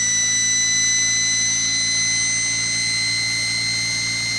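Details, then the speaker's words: Salvaged universal washing-machine motor on bench, low armature voltage (~10 V, almost 1 A), slowly coming up to speed: steady even high-pitched whine over faint low hum, no scraping or knocking; normal running. "of course with these kind of motors it takes a while for them to come up to speed you see that paper now beginning to flop about"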